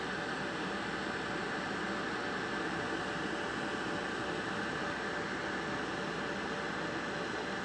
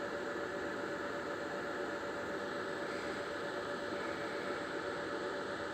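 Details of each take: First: IBM/Lenovo ThinkCentre desktop computer (trash-picked): smooth steady airy fan rush with faint constant hum, no rattles or pitch swings; fan sounds healthy. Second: Trash-picked Lenovo ThinkCentre desktop at power-on: steady hiss with a thin constant whine that doesn't change; owner suspects the power supply, not confirmed, same machine has done this before.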